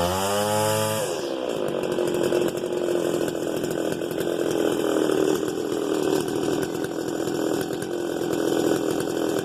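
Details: Stihl FS 290 brushcutter with a broken starter cord: blips up, then settles into a high buzz with a rough, uneven undertone. The abnormal noise seems to come from inside the engine, possibly the clutch assembly, source not yet found.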